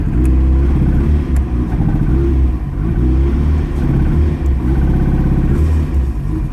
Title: Cold misfire and won't rev